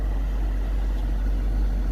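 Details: 2011 Nissan Sentra/Rogue cabin A/C blower motor, speed being raised step by step: steady, even low rush with no ticks, squeals or rattles; blower running smoothly at high speed.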